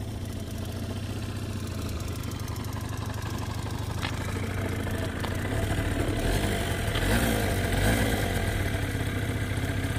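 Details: Suzuki Let's two-stroke scooter after a budget rebuild with old piston and rings, compression raised from 0 to 6 atm, first start on a new spark plug: steady buzzing idle rising smoothly on light throttle; idle still not fully right.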